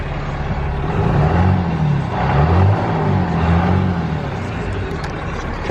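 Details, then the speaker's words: 2016 Ram 3500 Cummins diesel idling right after installing an S&B cold air intake and aFe intercooler pipes: deep steady idle with slight swells under some wind, no knocks or misses; sounds about the same as before, no codes. "I think we better start it up and see what it sounds [Applause] like sounds about the same at idle"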